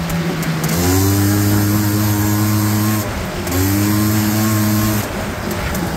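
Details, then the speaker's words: 1989 Honda Pilot FL400R two-stroke after engine rebuild (previous bearing noise, suspected crank bearings, chewed piston) and airbox lid swap, first ride: crisp note rises cleanly through two throttle pulls, drops back without bogging or rattles; healthy. "yeah I think we're done it seems to run good sounds just like mine feels the same way too"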